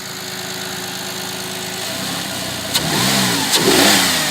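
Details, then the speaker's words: Audi A6 C6 after the intake manifold knock fix: an even idle, then clean quick revs rising and falling with no tapping or knocking from the manifold. The engine runs cleanly. "двигатель работает чист"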